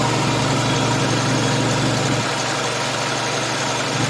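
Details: Oil-bath air compressor after head repair; it had stopped when the oil-sling dipper tab broke off. Filmed weeks after remounting and break-in: steady even pumping thump around four beats a second, no knocks or rattles. Running smoothly.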